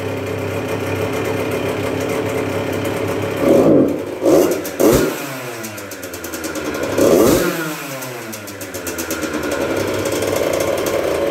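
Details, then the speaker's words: 1996 Yamaha YZ80 80cc two-stroke, first start after full rebuild, not yet broken in, fired on third kick after priming; crisp ring-a-ding idle, clean throttle blips dropping back steady; normal running two-stroke. "Fired up pretty good there. Didn't blow up. Like I said, took a few prime kicks to fill up the crankcase there, and then she popped off on the third kick."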